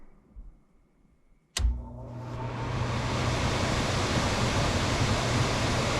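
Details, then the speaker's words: HVAC indoor blower after a blower relay replacement; the owner had high humidity and the blower ran constantly: a click, then smooth steady airflow with no buzzing, and it shuts off when the call drops. Normal blower operation. "let it run for about 10 or 15 seconds obviously there's no more buzzing much quieter and it shuts off"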